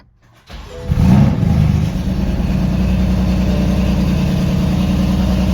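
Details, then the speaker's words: BMW M4 after a spark plug upgrade, new plugs not properly gapped, check engine and drivetrain malfunction lights on; cranks, catches, settles into an uneven lumpy idle with a stumbling beat. Misfire from incorrect spark plug gap. "Now, the engine is struggling right now. It's not performing well."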